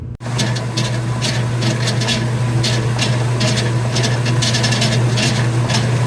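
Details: Commercial top-load washer running with a steady low drone and a rhythmic scraping chirp about three times a second following the spin; loud noise from the pulley, cause unconfirmed.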